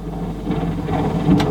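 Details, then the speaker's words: Technics RS3 cassette deck from a 1980s component shelf system: the drive motor turns only just, with a low chugging whir slowly gathering speed. The deck didn't feel jammed, and the owner suspects the motor, perhaps its brushes. Stalling cassette deck motor. "now amp back on oh well it's turning but only just"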